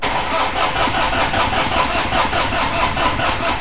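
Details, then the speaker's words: Toyota Innova 2KD diesel cranks steadily at about two and a half turns per second with no firing; rail pressure stays at 350 kPa versus about 30,000 kPa needed, weak pump output; crank no-start from low rail pressure. "seperti itu ya teman-teman prurnya tidak bergerak sama sekali sedangkan targetnya itu yang ini ya.000 KPA hanya 350 tidak mau naik"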